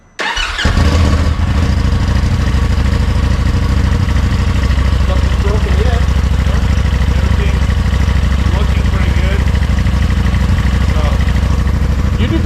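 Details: Polaris side-by-side after transmission reinstall with the clutch and belt reseated, first start: engine catches within a second and settles into a steady, even low idle with no knocks, grinding or clunks.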